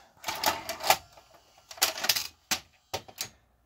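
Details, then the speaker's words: JVC HR-D337MS multi-system VCR from around 1988: bursts of sharp clicks and clunks as the mechanism cycles eject with no tape loaded; it always thinks a tape is inside, likely a bad infrared sender/receiver sensor. "this thing always thinks there's a tape inside which makes perfect sense if that sensor is not working correctly"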